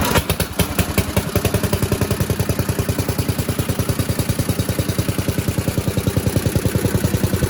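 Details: 1977 MTD 990 (badged Dayton, 16 hp) riding mower after electrical no-start repair, running while battery reads 13 V, up from 12, showing it charges: fast, even single-cylinder beat with crisp firing pulses, no misses or knocks; healthy.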